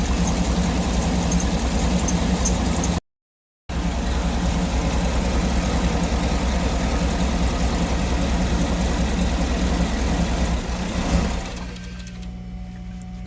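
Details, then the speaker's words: 2008 Cadillac Escalade with random shutdowns, codes P0335/P0336 (crank position sensor): steady idle, then it abruptly cuts out when the crank sensor wiring behind the starter is wiggled; stalling, owner suspects a faulty connector. "See right there, it turned off. So, I believe the connector probably has a problem."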